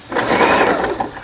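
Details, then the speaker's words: Lion Mising JS1004 sewing machine, about 20 years old and heavily used, after repair of a loosened upper shaft worm in the gearbox; a short burst of smooth, even whirring while stitching, no clatter or binding; normal stitching. "이 가에 옷감이 풀리지 않도록 해주는 오버록 바느질, 또 정상적으로 갑니다. 네, 수리가 잘 됐어요."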